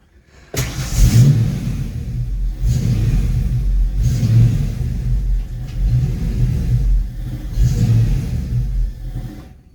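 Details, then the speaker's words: Foxbody Mustang just fitted with a GT40 tubular intake: the idle swells and sags about every 1.5 s and stalls once off the gas. Fuel pressure is good at 43–44 psi, and the EGR was replaced. Surging idle. "I did everything everything you can imagine on this car and I just cannot get this choppy idle to go away"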